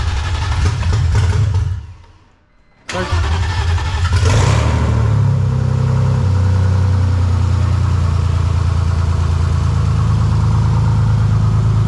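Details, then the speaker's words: $350 drift car with freshly rebuilt 3.0 six-cylinder, first start: short crank, pause, then fires promptly and settles into smooth, even idle with no misfire; cranks over nicely, doesn't sound like it's skipping a beat. "just started the motor sounds really good cranks over nice sounds good doesn't sound like it's jump in beat working great six cylinders"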